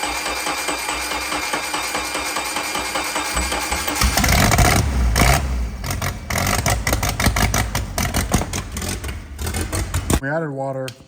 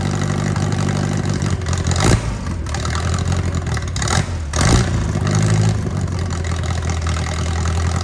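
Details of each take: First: Mercruiser 3.0 marine petrol engine run on a jump pack with water hose connected, rusty water coming out; runs roughly with an uneven, stumbling beat, a new misfire not present before, then music: engine misfire. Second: Mercruiser 3.0 marine engine of unknown running history, reportedly with a cracked block: it catches and settles into a steady, even low rumble with a couple of brief revs, running healthily.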